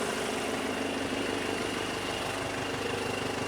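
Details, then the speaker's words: Mercedes CDI diesel converted into a Mercedes T1 camper van, warm at 60 degrees after 45 minutes idling, coolant circulating, no dash faults: even, steady diesel clatter at settled tickover, no knocks, misses or hunting; normal idle. "Right, she's sat pinned at 60 degrees. It's been sat there ticking over 45 minutes."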